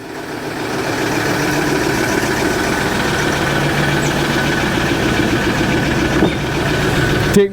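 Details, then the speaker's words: Ford Ranger diesel idling cold, rough and uneven, shaking more than it used to; missing on one cylinder, blamed on a heater (glow) plug. "Hear that? It's missing in one cylinder."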